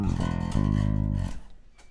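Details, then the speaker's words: MTD 535-24 bass with Bartolini electronics, strings set very low at the saddles: low notes carry a thin metallic fret-buzz sizzle that dies with each note. "So as you can see, we get a lot of fret buzz, and I know some people like it that way. The strings are really low at the moment."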